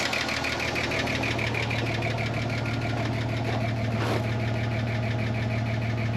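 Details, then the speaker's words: 30-year-old Ford Falcon revived from a paddock, idling while warming up: light, steady ticking about two per second over an even petrol idle, another little tick creeping in; owner wonders if an earlier lifter tick is getting quieter, thinks it's now on all six. "There's another little ticking noise creeping in there too."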